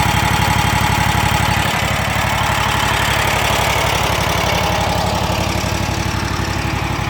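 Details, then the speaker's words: Kubota Z726X zero-turn, Kawasaki FX801V V-twin, 400 hours, idling after a cold start. Even light ticking, about four per second, rides over the firing beat and is worse at idle or low speed. Owner suspects valvetrain noise from solid lifters; unconfirmed. "it just sounds like an awful lot of chatter but let's give her a quick rub so to me it almost sounds more noticeable at idle or low speed"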